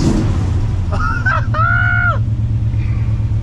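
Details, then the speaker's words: Chevrolet C10 with 454 big-block V8, carbureted, after thoroughly cleaning carburetor and jets: deep even rumble holding steady with no stumble or miss, quick throttle response, 63 psi seen; healthy idle. "I just cleaned the carburetor out really good, cleaned the jets out. It is purring."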